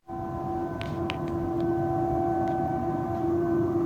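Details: Agroceres boiler on Avenida Marabá, Patos de Minas, around 23:00: loud, steady siren-like tone with fixed pitch and overtones; steam venting after a worker opened a valve further than in the daily routine; no damage or victims.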